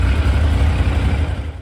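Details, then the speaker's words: 2001 Yamaha FZ1 after carburetor rebuild for fuel seeping, before synchronization: deep, steady, even idle rumble with no misses or hunting before shutoff; running well. "but thankfully the parts are available and just takes a little bit of patience but sounds like it's running pretty good"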